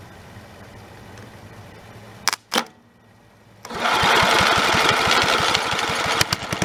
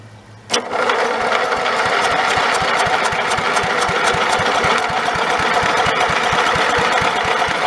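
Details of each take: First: Snapper 30083 engine, abandoned 20–25 years, fitted with a replacement junkyard magneto: starts on the second try and settles into a steady, even beat with no knock or miss. Runs healthy. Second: Snapper 30083 mower engine abandoned 20–25 years, borrowed carburetor and electric starter fitted: even cranking at about four turns a second with no firing; old magnetron ignition module dead, no spark.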